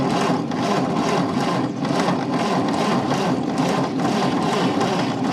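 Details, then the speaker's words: 1929 Ford Model A coupe, sitting 45+ years: starter cranks steadily about two turns a second with no firing; weak/no spark at plugs though coil has spark, condenser to be replaced; crank no start. "No, I don't have spark to here. I don't have spark to the plug. What's the problem? Crank it again. No, I do, but it's not strong."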